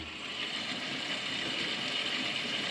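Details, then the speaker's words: Barn plumbing system, water turned on after four months with the valve only cracked open: a steady, hissy rush of water through the pipework with no knocks or bangs. The pipes are still filling, and the noise stops once full. "so that's it just filling up so once that noise stops we know all the pipe work is full and then we can open that up to get the pressure behind it"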